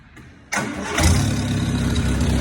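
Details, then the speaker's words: 1962 MG Midget MK1 with an original-looking engine, sat under a tree; the stuck throttle linkage was loosened, then quiet cranking, an immediate catch and a steady, even idle with a little rev. It starts and runs fine. "And the throttle linkage was kind of stuck here. So I decided to loosen that up and fire it up. And lo and behold,"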